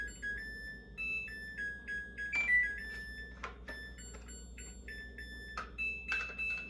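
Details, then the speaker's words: Samsung Eco Bubble WD106UHSAWQ washer-dryer finishing a 2-hour timed drying of a blanket: short bright electronic tune of rising and falling notes in a quiet room before the door lock releases; normal end-of-cycle melody. "Agora ela vai tocar musiquinha e eu já vou finalizar o vídeo. Ela demora um pouco, que a trava da porta dela tem que destravar."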